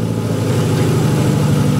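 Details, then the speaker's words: Engine at idle, cylinder five injector stuck closed (no pencil hump on scope, high secondary spark line): steady low idle with a faint recurring stumble in the beat; a no-fuel misfire on that cylinder. "this fuel injector is stuck closed that's why we have a high spark line in our secondary waveform that's why we have a misfire on this car"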